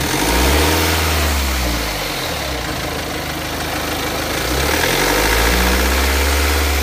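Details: BMW X3 F25 engine with a light, fairly regular rattle over idle and blips, about two a second; timing chain suspected, not confirmed.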